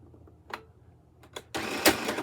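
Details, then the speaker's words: Used Michley Tivax Sew & Sew Inspiration 700 sewing machine backstitching with presser foot down: a few ticks, then a harsh rattling clatter as the thread gets caught and jams; needle feared broken but wasn't, cause unknown. "wow, that sounds terrible. And it may or may not have broke the needle."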